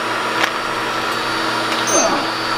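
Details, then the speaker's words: New QuickLift air compressor just installed in shop, replacing a deafeningly loud old unit: smooth even hum with steady low tones and a soft higher whine, no knocks or rattles, good pressure. Normal running. "Well, we got our new Quick Lift air compressor and I can hear myself think. It's now running. So, I'd say it's a good upgrade."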